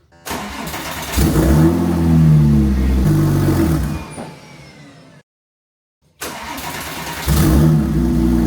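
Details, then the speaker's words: Porsche 911 Turbo after DIY spark plug and coil pack replacement, first start: catches, revs unevenly, sags and dies, restarts rough, not idling right; cause suspected to be an intercooler pipe left disconnected. "the engine kept dying which it's never done like this before so I had the worst fear I thought maybe I left one of the Quil packs unplugged"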